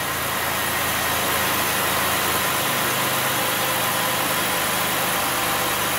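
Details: Chevrolet Impala 3.5L petrol V6, earlier long crank and misfiring with codes P0118, P0335, P0326, after repair: idles smoothly with a steady, even hum, small rev-ups, only a slight miss, no dead miss.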